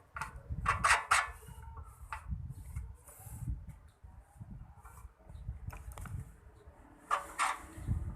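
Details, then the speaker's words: Honda GX160 petrol engine fitted to a stamper, turned over by hand: sharp squeaks in short bursts with each pull, dry rub of an oil-starved connecting rod; hard starting, won't run. "Ini adalah mesin bensin seri GX160 yang diaplikasikan kroto stamper yang mempunyai masalah ada suara aneh ada suara berdecit saat diputar kita coba dulu kita putar dan kita dengarkan"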